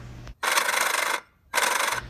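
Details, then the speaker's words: Old electric auxiliary fuel transfer pump on a Weekend Warrior toy hauler fuel station, powered by jumping: short raspy whirring bursts; locked until cover bolts loosened, so aged plastic gears swollen and binding against cover. "tried it again and once again we were locked up so i decided to loosen all four bolts on the cover just a little bit and then jump it again and see if it spins"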